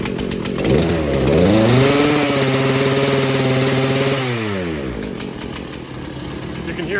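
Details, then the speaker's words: Husqvarna 240 chainsaw, previously non-starting, now running: two-stroke revs climb, hold, then sag and oscillate unevenly, hunting under throttle before dying; owner suspects incorrect carburetor mixture and plans carb adjustment. "when I was revving it you could hear it kind of oscillated like it was uh not quite at the right mixture or something else going on"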